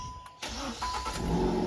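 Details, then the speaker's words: Hyundai i20 started from key-on: cranking then loud raspy race-car-like roar staying harsh at idle; bend/silencer pipe underneath worn through with a hole, exhaust leak, common i20 problem. "இங்கே pipe வரும், pen pipe, silencer pipe. அது வந்து கீழே தேஞ்சு ஓட்டையாயிருக்கு. அதுலேருந்து தான் sound வரும்."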